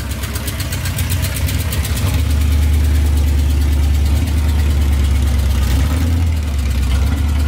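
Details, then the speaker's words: 1978 Power Wagon V8 after new long-tube headers, a new starter and tuning: deep, even burble at about four pulses a second with no misses or knocks. Healthy, steady idle. "what we wanted yeah i think it's really good sounds good to me"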